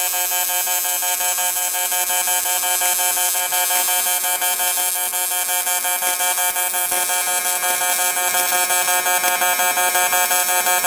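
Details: Welder on something round for a barrel project: steady high buzz pulsing roughly three times a second, even and unbroken; normal pulse-mode welding arc.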